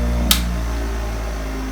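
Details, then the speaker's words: Restored 1965 Craftsman bench grinder with oiled original sealed bearings and new wheel: steady low hum with no wobble or thump; spinning smooth and balanced. "i'm actually gonna run it real quick on here with the clamps not on and i bet you this thing will stay perfectly put"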